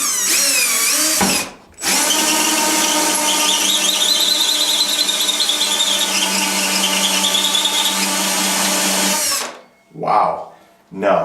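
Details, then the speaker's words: Drill driving a hole saw with worn-down teeth into ceiling drywall in a closet: high steady whine with a skittering rasp as dull teeth skate without biting; worn hole saw teeth. "this one as you can see the teeth are pretty worn down but it doesn't have to be terrible sharp to cut through the sheetrock"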